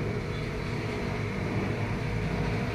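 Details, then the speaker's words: LG inverter 17 kg automatic washer, reported weakening drum rotation: steady, even low hum with no knocking, scraping or grinding; wash and fast spin-dry check okay, suspected issue is the unstable platform it sits on. "So as per checking naman, yan, kita ko mukhang okay naman yung ikot nya. Then sa wash okay din. Then sa spin dry okay din, mabilis ang ikot."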